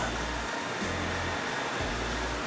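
A steady, even airy whoosh with no rattles, ticks or wobble in speed; the roof fan is running smoothly and sounds healthy.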